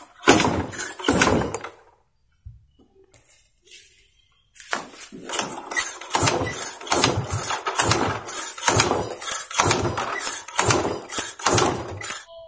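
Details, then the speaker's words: Yamaha Mio J automatic scooter (fuel-injected, pump runs) kick-cranked about once a second, turning over loosely with no firing; won't start from lost compression. "Oke, kita coba lagi dulu hidupkan ya. Kita engkol, tidak mau juga."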